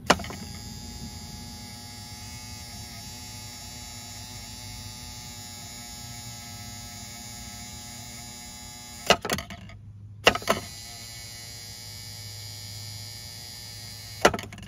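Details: Volvo Penta SX-A power trim/tilt pump motor, cleaned and bench-run after smoking from burning off cleaner; smoke now gone, motor not hot, switched between directions. Steady hum with thin high whine, even speed, a few handling clicks; runs normally.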